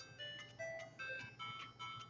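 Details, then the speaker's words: Game Boy Advance SP frontlit AGS-001 after speaker replacement for a sound fault: clean, tinny chiptune melody plays steadily with no dropouts or crackle. Speaker working normally. "and I hope you can hear the sound on that but in any regard the sound is working on the system now so we're good to go"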